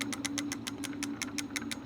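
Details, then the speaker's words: Lectric XP 4.0 folding eBike: after the throttle is released, the hub motor keeps a steady low hum with quick ticks about six per second, still driving, then stops; owner suspects an internal controller fault and plans to swap the controller. "And still trying to go. It shouldn't be going right now. And it just stopped."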